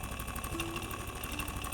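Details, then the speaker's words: Beko refrigerator compressor, after a suction line leak repair: steady hum with quick even knocking, buzz and vibration, pointing to internal compressor wear; condenser and filter warm, suction line cold, even frosting, gas charge fine. "звук работы компрессора, стук и вибрация."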